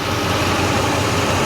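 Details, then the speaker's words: 1969 Chevrolet Impala, factory 427 big-block V8, sat since 2004, with professionally rebuilt carburetor and new hoses, belts and water pump: steady, even idle with smooth deep burble, no knocks or misses; purrs. "you're gonna hear that sucker just purrs"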